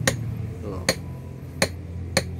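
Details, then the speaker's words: Removed Mazda rear gas shock absorber worked by hand: four sharp hollow knocks at irregular intervals; shock has leaked, returns too fast and bottoms against its internal stop; other shock silent and normal. "suara itu sudah terjadi kebocoran jadi ini sudah mentok di ujung sini untuk beradu"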